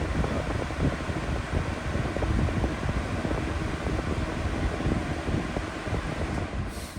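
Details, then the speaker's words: Brand-new Lasko 3733 black box fan after an attempt to balance its blades: heavy, uneven low rumble and shudder instead of a smooth whoosh, still rocking; blade imbalance not fixed, cause suspected not confirmed. "all right so ultimately I kind of finished where I started I just can't seem to get this thing in Balance"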